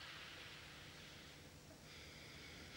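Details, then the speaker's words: WW2 German mini submarine hull pressurised with air: quiet steady hiss of escaping air whose source can't be pinpointed by ear. Leak-detection fluid later shows a massive leak at a rubber seal on the front joint. "air is pumped inside the submarine at pressure it's then a case of listening to find the hissing air but although we can hear it clearly we just can't pinpoint exactly where it's coming"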